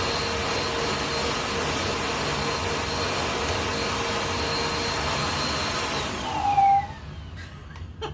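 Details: 2017 Bissell Powerforce Compact 2112 vacuum after brush roll bearing service, hose and handle fitted: steady rushing motor roar with an odd edge that never settles, then switches off; persistent abnormal running noise.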